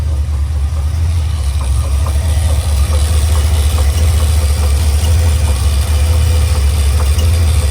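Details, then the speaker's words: 1986 Chevy Caprice Brougham V8 at idle, just out of the transmission shop: faint, loosely spaced intermittent knocks under a deep rumble; lifters checked and sound fine, owner suspects the starter. "all right i'm shaking y'all listen to this oh that's ugly and it's listen to that knock knows you hear that knock nose"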